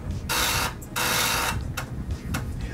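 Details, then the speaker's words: Amiga 500 floppy drive loading a game: loud bursts of rapid mechanical chatter with short gaps as it seeks; owner wonders if it is always this loud, cause unknown. "so laut das Laufwerk immer so laut oder ist es nur mein Laufwerk"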